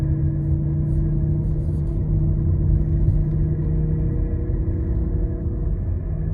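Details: Car at low speed, loudest around 20 mph, noise fades or returns with slight steering input: a deep, steady growling hum under road noise with no clicks; a very loud failed wheel bearing, side suggested by load shift on turning.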